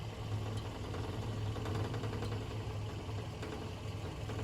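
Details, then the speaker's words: 2010 Kia Forte EX petrol idling after a drive: a low steady hum with a loose, irregular metallic rattle from underneath, from a heat shield broken off its rusted mounts just under the gas tank; the shop cut it off. "Hey guys, the noise that you heard is all coming from under my car is from one of my heat shields."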